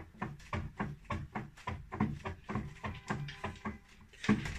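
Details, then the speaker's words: Smart spin bike rear flywheel rocked side to side by hand; irregular dull knocks about twice a second from the whole flywheel moving horizontally, not the crank arm; loose flywheel with lateral play. "就是这个后面这个转轮，这个转轮它不是这个曲臂晃动，曲臂它是晃动的，而是这个整体的这个转盘它会左右，就是水平方向它会移动"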